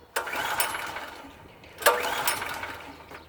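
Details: PowerSmart PS44 3000W generator that sat unused since 2017, tank raised for fuel feed: three short rattling rope pulls that die without catching; fails to start. Owner suspects not enough fuel, choke setting or flooding.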